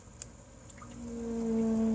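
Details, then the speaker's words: Radiant heat boiler with a steady trumpet-like tonal whine that grows louder as supply temperature is raised; caused by thermal shock from a cold startup and too large a supply-to-return temperature difference, flame quality checked fine. "See, there's a whine, but when I go up higher, you can get a bigger differential like that. That's what it sounded like non-stop"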